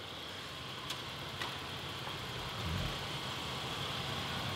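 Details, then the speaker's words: Wrecked 2019 Mercedes-Benz GLC 300 being rebuilt, running after the repair with no check engine lights: a smooth, even idle with a soft hiss and no ticking or knocking. A healthy normal idle. "she's running well sounds good I don't want it running too much this thing is purring like a kitten"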